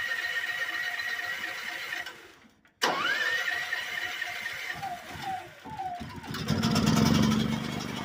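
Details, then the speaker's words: Generator on Harbor Freight DIY wood-chip gasifier, hybrid startup on gasoline (fuel valve reopened to fill carburetor bowl) before switching to wood gas: brief cranking, then catches and runs steady; normal start. "but I am going to open that back up just to let some gas in the pulp Bowl just to get started briefly and then we'll we'll switch over to uh what gas uh make it a little easier on the starter"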